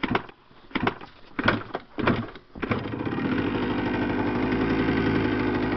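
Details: 1982 Yamaha 175 two-stroke dirt bike: a few kick thumps, then engine catches and settles into steady, crisp two-stroke idle with even beat; running fine.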